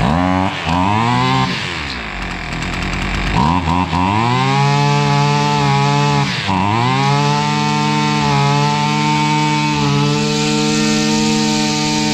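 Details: Husqvarna 553 RBX two-stroke brushcutter that would not run, after fault diagnosis and repair: revs up and drops back several times, pitch climbing cleanly and settling to an even steady run; engine sounds healthy.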